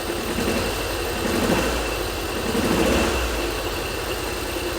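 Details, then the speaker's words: 1985 Subaru turbo AWD coupe, 44,000 miles, parked about 30 years, first runs after revival: low idle with a slightly lumpy, uneven beat and swelling exhaust note; rough idle, one cylinder suspected missing. "I still think it's a cylinder missing"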